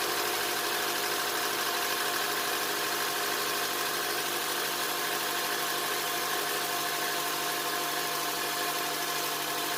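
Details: 2007 Honda Accord 2.4 DOHC, first start after timing chain replacement with Mellings kit: fires and settles into steady even idle, no rattle or tick, no check engine light; sounds healthy, not yet warmed up.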